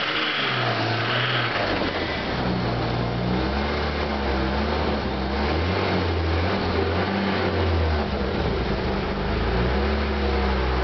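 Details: 1991 Toyota Supra 7M-GE six-cylinder, just revived with a new fuel pump, idling and revving with a faint regular knock under the engine note; owner believes it is rod knock and plans a rebuild.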